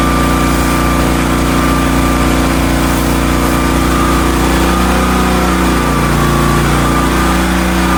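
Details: Hotsy steam pressure washer with 16 hp gas engine, bought non-running, after igniter wire/electrode repair with burner heating water: steady, even small-engine drone with faint constant whine, no surging or misses; running normally.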